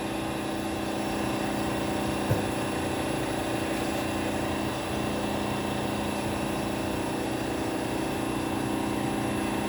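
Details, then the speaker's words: Edwards xDS35iE dry scroll pump after a tip seal change, running smoothly with a steady drone, low hum and faint whine while pulling vacuum; it is quieter than at first start, after running open to atmosphere to wear in the seals. "It was much louder than this the first time I put it into service. So, I decided to take it out, let it run on atmosphere a bit, help it wear in the seals."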